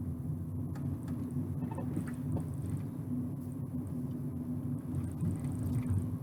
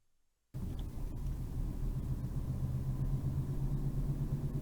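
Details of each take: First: Ford Ka after left-hand (near side) front wheel bearing replacement, road test at 20 mph with NVH microphone and accelerometers: steady low road rumble, no growl or drone; normal wheel bearing noise. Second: Ford Ka on road test: deep rumble with pulsing wow-wow drone and vibration rising with road speed, from a worn front wheel bearing.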